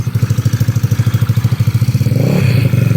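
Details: Two-stroke motorcycle after its reset for noise: deep, even popping at a steady rate, then a light throttle blip and back, a smooth, healthy normal idle.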